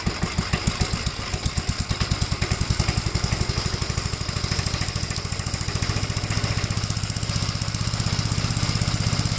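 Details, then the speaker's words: 1957 Gravely with a smaller 12-volt battery fitted, mowing soaked grass: even single-cylinder thumping at about ten beats a second holds steady under load without stumbling. The engine runs strong and healthy, cutting with power to spare. "this is cut with no no problem with a lot of power to spare"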